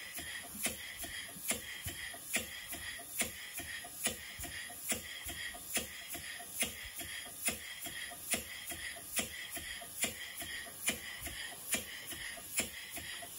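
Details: Stevens Model Dockyard steam engine before restoration: sharp metallic knock about once a second with each crank turn over a light clatter. Slack big end bearing; piston also suspected of hitting the lower cylinder end cover.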